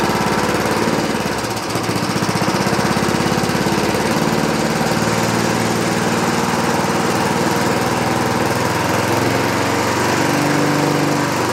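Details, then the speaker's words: 1960s Roof push mower single-cylinder engine, no air cleaner, after a carburetor adjustment: drones fast but beat wavers and stumbles early; running rough, owner suspects too rich, unconfirmed. "this other way around. It's I think it's getting too rich. Too much fuel."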